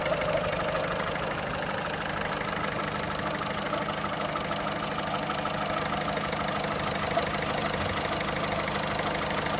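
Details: Diesel 1.6 HDi 90 hp at idle: fairly regular tapping knock, roughly two per second, over the engine clatter. Abnormal engine noise, source unclear.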